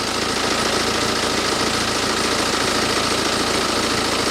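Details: BMW with nearly 190,000 miles, after WD-40 sprayed on the squeaky, non-original drive belt: smooth, even idle with a steady hum and no squeal or chirp; belt drive now quiet and healthy.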